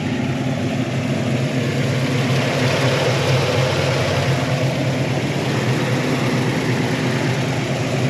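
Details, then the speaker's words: 1972 Chevy Malibu Chevelle SS tribute, 350 V8 with mild cam, new carb replacing oversized one, tune-up fixed slightly off idle: steady deep idle with even cam lope, no knocks or misses; sounds really good, normal idle. "got a mild cam in it [Music] sounds really really good"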